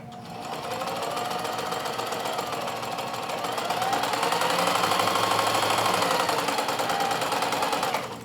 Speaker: Let's uh run the machine and listen how nice and smooth and quiet that sounds compared to the 4432.